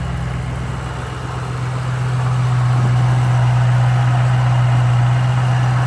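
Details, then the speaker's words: 2005–2010 Ford Mustang 4.6L 3-valve V8 just after throttle body cleaning, restarted: fired right up without smoke, deep even burble with steady low rumble, no stumble or miss; normal healthy idle. "and it actually fired right up sometimes it'll smoke but it didn't"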